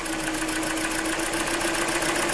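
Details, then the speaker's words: Hyundai Elantra 1.8 engine, 69k miles, idle before unplugging injectors: fast, regular light ticking at a constant rate over a steady idle; ticking is worse when cold; owner suspects piston slap, not confirmed. "Okay, still ticking noise. I'm going to disconnect the injectors."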